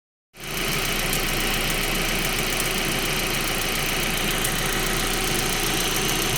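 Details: 1.8T engine at idle: fast, light top-end ticking keeping pace with idle under a loud hiss; cause not yet pinned down.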